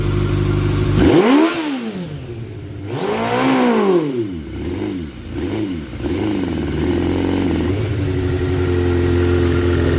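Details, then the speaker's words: 2006 Suzuki GSX 600F Katana after carb cleaning and sync, idle set about 1,200 rpm, mixture screw setting unknown: each throttle blip rises sharply then revs sink slowly back to idle; owner suspects too rich; slow return to idle. "it drops slowly down it's coming down right down [Music] see fall slowly down to the idol that I said I I have no idea what is going on"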